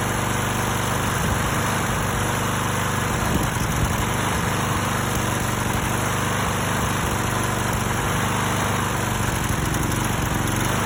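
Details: Stiga Pro 48 mower with Briggs & Stratton engine, after new tank, air filter and spark plug plus cleaned carburetor with refurbish kit: uneven stumbling beat, roughly four ragged hitches a second; engine still misfiring, cause unknown.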